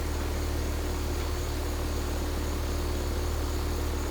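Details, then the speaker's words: Carrier heat pump outdoor unit, up and running and cooling: steady low hum with even fan whoosh, no clicking or rattling, normal running. "all right so it's up and running and cooling and i'll show them some pictures"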